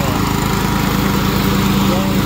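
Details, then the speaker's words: Craftsman hydro mower after replacing the broken transmission fan: steady drone with low hum, no longer squeaking from belts, pulley and fan as before; normal running after fix. "it sounds like it's working a lot better I I tried it and when I tried it it was squeaking like crazy them belts and the uh the pulley and the fan but sounds like a fix"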